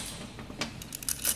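Light metallic clicks and jingles as the unit is shaken; loose pieces rattling inside mean a failed pre-tensioner.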